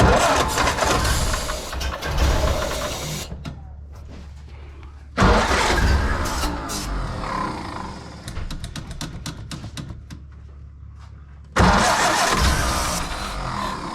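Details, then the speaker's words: 1931 Ford Model A with electric fuel pump in the frame rail: long bursts of slow uneven cranking, about two turns a second, never firing; crank-no-start as fuel isn't reaching the carburetor. "keep in mind this vehicle is 93 years old and we're just kind of troubleshooting just trying to figure out why fuel isn't getting to where it needs to go"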